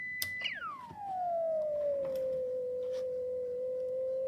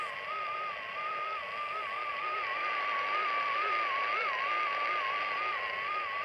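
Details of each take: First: Clansman PRC-320 radio receiving an RF generator test tone with DC voltage applied to the 3H variable frequency oscillator board; the tone drops from a high pitch then holds steady, creeping slightly as the set warms, no wobble. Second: Clansman PRC-320 radio receiving a test tone from an RF generator set to about 14 MHz: the audio warbles up and down in pitch about three times a second instead of holding steady, the typical Clansman audio wobble.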